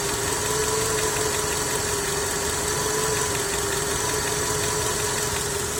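Car engine at idle with a quick tapping knock over the running, roughly three to four per second, cause unclear from the sound alone.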